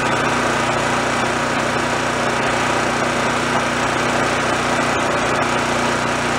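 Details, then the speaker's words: Roadside-found Chinese knockoff mid-size generator after repair, warming up for about five minutes before checking and tweaking the frequency. Steady, even low-speed drone with no misses or surging: normal running while warming up. "I'm gonna let it warm up a little bit we'll see where the frequency lies and do a little bit of tweaking"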